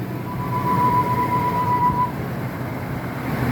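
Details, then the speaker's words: 2001 Ford F-250 5.4L two-valve V8 idling: loud steady high screech/yowl that comes intermittently at startup, from a worn idler pulley bearing (original, 270k miles), fixed by replacing the idler pulley. "but what will happen from time to time is you'll start hearing a screeching yowling noise and there it is right there [Music] [Applause] and it actually is pretty loud"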